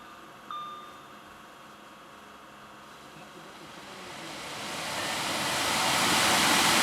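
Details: 2010 Audi Q5 blower motor, cleaned and with its bearings lubricated to cure a squeak, plugged back in with the ignition on: after a door chime it spins up into a smooth, rising rush of air with no squeak. Working normally.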